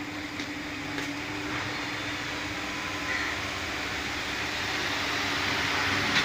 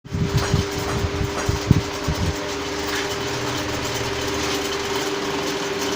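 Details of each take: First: Pedestal fan after repairing a noise fault, with a blade-area part that had come loose refitted: a smooth airy rush with a soft steady hum and no rattling or ticking; the fan now runs quietly. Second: Pedestal fan running: steady hum with uneven knocking rattle in the first seconds.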